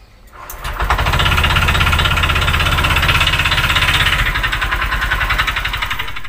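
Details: Honda Vario 125 FI after engine rebuild with 100 oversize piston, history of late oil changes and running dry of oil: rough steady ticking knock about three per second; connecting rod suspected, though rod had no play when dismantled.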